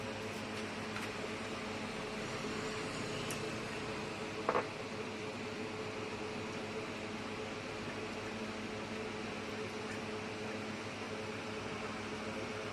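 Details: Running ceiling fan with a noise problem before repair: constant whirring hum with a faint steady tone and a brief rattle; noisy, cause unconfirmed.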